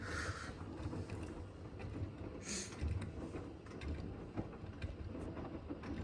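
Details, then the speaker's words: Blomberg RapidJET LWF194520QW 9kg 1400rpm washing machine, about a month old, during the wash: irregular dull thumps over slosh and motor hum, a weird knocking the owner still needs to look at; cause unknown. "you may notice while i'm filming the machine does make this weird knocking sound i have to get back over i to look at it"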